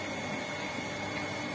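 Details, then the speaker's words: Shimizu PS 128 water pump after repairing a shorted coil, which had caused weak slow rotation and humming: even, steady whirring with no hum or rattle; now spins freely, suction strong even with inlet blocked, running normally. "Nah sekarang sudah bisa dipastikan bahwa pompa air ini sudah normal dan putarannya sudah enteng dan tidak terdengar dengung lagi"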